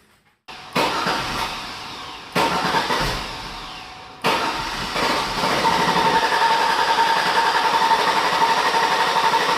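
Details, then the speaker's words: Cranking with the fuel pump relay pulled to simulate a no-fuel condition: the starter churns in repeated bursts, about four beats a second, but the engine never fires. Crank, no start from no fuel. "that's basically you trying to start your engine and it just continues to crank but it doesn't actually fire do anything like that"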